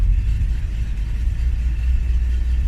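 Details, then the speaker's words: Vehicle started cold without block heater plugged in, choke used: low uneven rumble with unsteady pulse at idle, slight misfire; rough while warming up. "gonna take a minute as you can probably hear it I mean yeah and if I just let it see how much is bouncing out it should be bounced around by that much but it just feels cold ya know just take a minute to warm back up"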